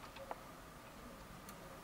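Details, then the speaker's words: Toshiba L300 laptop with charger and battery removed, fed the correct voltage with correct polarity: one faint sharp click as power is applied, then nothing; no power-on, cause unknown, possibly damaged power-delivery components. "I still hear that click so either something is damaged or that I don't know some some components from the the power delivery are just making noises and they would make noise even when working normally"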